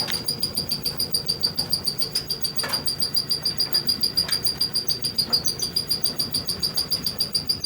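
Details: Whirlpool Cabrio dryer, heard at the back of the unit: a high, shrill squeak pulses about three to four times a second as the drum turns, turning into chugging. A worn drum support roller.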